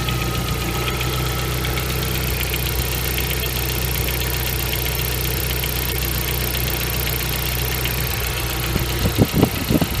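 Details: Nissan CA18DET engine (RS13U) at cold idle: fast, light tapping above a deep steady rumble; noise disappears once warm, owner suspects hydraulic lifters but unsure.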